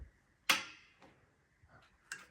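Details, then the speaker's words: Engine-driven air compressor build, engine not yet started: faint sharp ticks about every half second in a quiet room from the hour meter, working after an added 12 V switch was wired in. "Now that's working, if you can hear it. You can hear it ticking, so I just have to remember hour meter on, then engine on."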